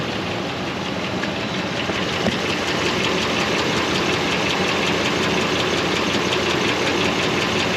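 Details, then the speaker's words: 2005 Dodge Ram 2500 Laramie 4x4, 5.7 Hemi on LPG, after throttle body clean: fairly regular light tick about 160 a minute over steady idle; owner hopes it is just the exhaust manifold, source unconfirmed. "Hope that's just that manifold. Maybe that's just a noise. I don't know."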